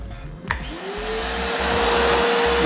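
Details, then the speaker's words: Multipro 3-in-1 vacuum cleaner, 650 W, 10 L tank, blower mode with hose on top port, repeated blow test: click, then smooth rising whine spinning up with strong air rush; strong airflow, blower healthy. "anginnya kenceng. Kenceng anginnya ya. Aku arahin ke sampah di meja ya. Langsung terbang semua nih."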